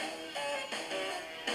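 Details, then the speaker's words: Aiwa CS-R10 cassette deck during motor speed adjustment: music dragged and low in pitch, notes sagging flat throughout; motor speed set too slow, adjusted on the circuit board. "so that's what sounds like really slowed down where you can just"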